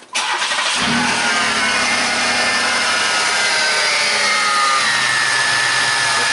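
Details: 1995 Chevy Lumina that sat about a year, after tightening the boot connections that caused hard starting: a quick crank and immediate catch, then a steady, even idle with no stumble or miss. It starts cleanly.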